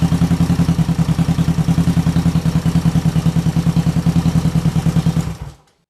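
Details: 1968 Honda CL450 twin after starter clutch repair and clutch cover change: even, steady beat at about 200 pulses a minute, then clean shutdown; runs smoothly.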